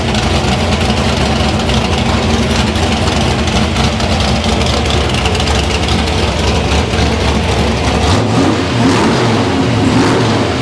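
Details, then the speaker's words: Deep, even V8 rumble pulling cleanly through repeated blips and settling back without stumbles or pops with a working carburetor; the engine runs healthy. "yeah there you go car man imagine that e sounds even different too it does yeah this thing sounds good"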